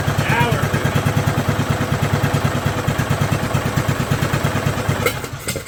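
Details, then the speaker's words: 2011 John Deere D110 with its replacement engine rebuilt from boxed parts, after straightening the rod bend to lower the idle, run without choke: a quick, steady single-cylinder thump holds an even beat without misses until shutdown, running normally. "That thing runs good."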